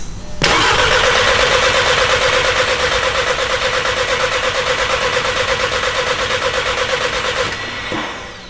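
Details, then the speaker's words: Mk6 VW GTI with a freshly built engine, cranking after oil and coolant priming of block and turbo before first start: about seven seconds of even compression pulses, no knock; sounds like it has good compression. "sounds like it has compression yep that's it yeah oh yeah sounds like it's got compression"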